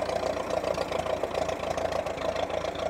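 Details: Ferguson T20 tractor, a revived barn find, after steering rods and the leaking water pump were replaced, with the generator charging: a steady, even, low putter at idle with no knocks or misses. It runs healthy.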